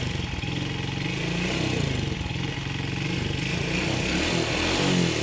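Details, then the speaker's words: Rider J 115 FI motorcycle unused for 3 months and wouldn't start; battery was the only problem. Steady single-cylinder putter at a regular beat with no misfires or stumbles: normal idle. "So paandarin na natin a na mga guys battery lang po ang kanyang naging problema 3 months na hindi ginamit na mayari napaandar y pala battery lang okay okay na"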